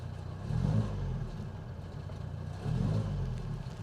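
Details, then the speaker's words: Sunbeam Rapier Mk III with 1500 four-cylinder on a chilly morning, a little choke used: low throaty engine blipped twice from cold idle, picks up cleanly and settles smoothly; healthy. "this engine sounds really well by the way I mean it always helps I think when Classics are driven regular Le cuz it just helps you keep on top of things they don't like standing around I've used a little bit of Choke this morning"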